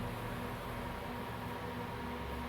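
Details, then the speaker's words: FortG WS E250 AC/DC TIG/stick inverter welder, after repair of a fault where it kept shutting off (NTC was overheating): steady, even fan hum with a faint constant whine, no cutting out or surging; running normally. "Vamos ligar essa maquininha pra ver. Pronto. Tá funcionando agora."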